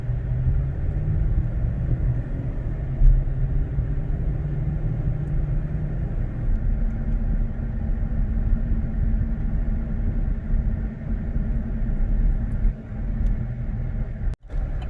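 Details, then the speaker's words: 2018 Silverado 5.3L V8, non-flex fuel, with an aFe Momentum GT intake replacing the stock airbox, cruising in cab with windows up: steady, smooth low drone over road rumble. Normal, throatier intake noise while driving. "and it definitely growls quite a bit more, and it definitely has quite a bit more grunt in the low end."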